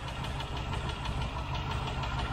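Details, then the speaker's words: Rover V8 with good oil pressure, cold start after half a mile, idling with one light, sharp tick at about seven per second over the rumble; one faulty hydraulic tappet, not an exhaust manifold leak. "i've literally done half a mile in this since i started out from cold this morning and you can hear just one tapping"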